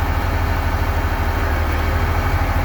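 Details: Diesel engine with hard starting and low power, earlier fault SPN 57 code 559: steady, even low rumble at idle with no misses, knocks or hunting; normal idle, no fault now, oil temperature normal.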